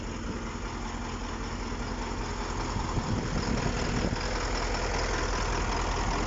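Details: KamAZ-6520 chassis diesel idling after first start following major overhaul; even, steady low idle with a regular beat and no knocks or misfires, healthy.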